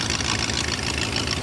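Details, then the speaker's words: 2000 BMW E39 540i M62B44TU, first start after long sitting with half-finished timing job and rusted cam lobes, check engine light on: fast hissy puffing tick at front of engine at idle; suspected exhaust manifold gasket leak, not confirmed. "it sounds like there's exhaust coming from the front of the engine that's really weird it's not it's not valve or uh like Thanos noise I think this car has like a a serious exhaust Le"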